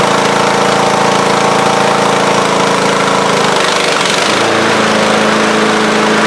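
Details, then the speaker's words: Craftsman riding mower, not run for a couple of years, started on a charged battery with the mower deck engaged: steady, even engine drone with a smooth deck hum and a brief dip as load changes; runs clean and healthy. "Alright, well, she runs and the deck sounds pretty good."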